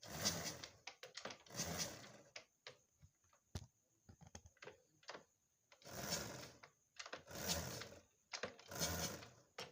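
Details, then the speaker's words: Honda Supra X 125 motorcycle being kick-started: hollow whoosh and loose metallic clatter like a loose chain, very low compression; timing chain has jumped. "di sini suaranya seperti suara rantai yang lepas ya"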